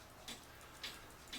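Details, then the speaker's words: Citizen battery-powered cuckoo clock, movement jury-rigged and held level after not ticking; crisp steady ticks about every half second, running normally; movement likely needs cleaning, plastic gears worried to be worn. "it is ticking away so so at this point I'd say more than likely this movement needs to be cleaned"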